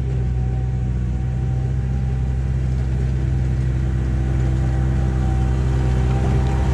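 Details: 1999 Bobcat 864 tracked skid steer after replacing right-side drive motor with rebuilt unit and refilling fluid, digging test: steady even diesel drone under load, no surging or strain; normal drive operation.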